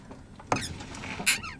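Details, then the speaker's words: Lada (Zhiguli) with knocking suspension, wheel turned by a helper while listening at the steering box; sharp creaks and squeaks in short bursts, louder when driving, suspected steering gearbox. "Пришла тут ко мне помощь чтобы покрутить рулем чтобы точно убедиться что это дело в рулевом редукторе сейчас смотрим на рулевой редуктор и слушаем Что будет происходить давай"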